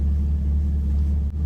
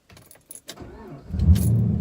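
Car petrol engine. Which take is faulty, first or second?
second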